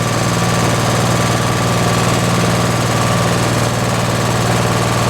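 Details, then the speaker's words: Briggs and Stratton P.E. 75 engine, slightly warm, after ignition repair: strong even popping beat about three per second, no stumbles or dropouts; runs smooth and healthy. "But I'm going to fire it up right now to close out this video. It's a little bit warm because I ran it a couple of times."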